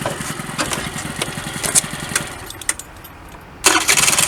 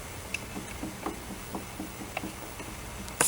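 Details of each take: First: Honda Dio 34 two-stroke scooter, after near-complete rebuild (worn parts replaced, rear brake pads), frosty weather: even, steady putter with a short throttle blip, no knocking; starts and runs perfectly, normal idle. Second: Honda Dio 34 scooter that won't start, recently bought, engine disassembled and turned by hand: faint dry clicks about three a second from a worn crankshaft main bearing.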